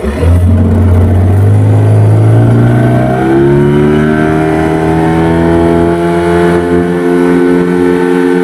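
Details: Yamaha 15 hp two-stroke outboard at the test run after a repair for hard starting and lost power caused by a defective piston and a clogged, narrowed exhaust: revs up, then holds a strong, even drone with no misfire; normal running.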